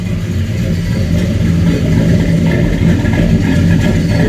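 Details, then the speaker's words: 94 Caprice, stock 5.3 LS swap on a Holley Terminator X MAX, first start: a loud, lumpy idle with uneven pulses and a slight stumble. It runs rich at air-fuel 9-10, most likely from excessive fuel pressure; a regulator is planned. "a little rich oh yeah she's rich nines tens and that's the fuel pressure most likely causing it to push through a little bit but it is up and running"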